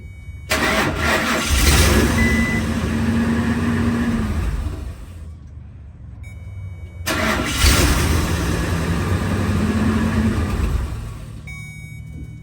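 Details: 2000 Ford Excursion crank no start: two long cranking spells of about four seconds each, steady starter churn that never catches; power confirmed at the fuel pump.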